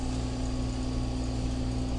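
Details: Invacare oxygen concentrator supplying the Homefill compressor, running after switch-on, which it should do for at least 5 minutes before filling a cylinder: a steady low compressor hum with no rattles, squeals or alarms.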